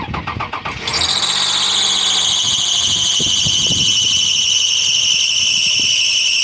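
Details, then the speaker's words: Toyota Sienna 3.3-liter with a newly installed, partially rebuilt engine: as it starts, a loud, piercing, steady screech at idle from the power steering pump, noisy since the engine install; the pump is being replaced. "Immediately after I installed the engine, the power steering pump started making so much noise, so it's so noisy right now."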